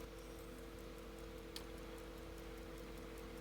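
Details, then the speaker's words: Sandoz Vuille 8-day rearview mirror clock, restored and running: light even ticks about five per second over a low hum, balance wheel swinging freely, clock healthy. "you can see the balance wheel spinning or rocking back and forth you can hear the little clicking of the clock I love it"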